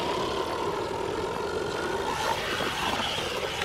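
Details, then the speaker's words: XLF X03 brushless 4WD RC car driving: fast whirring motor with a rough gritty grind layered over it; drivetrain sounds grindy, unknown whether all units or just this one. "it sounds a little grindy I don't know if that's all of them or just ours"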